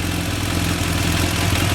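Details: BMW F800 twin idling with aftermarket mechanical cam chain tensioner adjusted while running: steady, even idle, smooth low beat, no rattle or ticking; cam chain noise gone.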